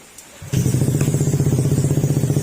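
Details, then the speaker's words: Honda ADV150 scooter after engine teardown and reassembly fixing a metal knocking noise caused by low or neglected oil, refilled with fresh oil and coolant: starts cleanly, even steady idle putter; knock gone, only loud exhaust noise remains. "wala na yung tok. Para mo nga yung tabucho. Yan, medyo hindi maganda kasi yung tunog niya mga sir dahil sa tambucho. Pero tahimik na."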